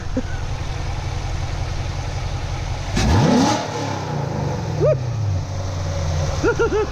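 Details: C7 Corvette V8 with new MSD intake manifold, AFE intake, headers and X-pipe, stock exhaust, before tune; steady burble then three sharp blips climbing and dropping cleanly to idle without stumbling; healthy, crisp throttle response.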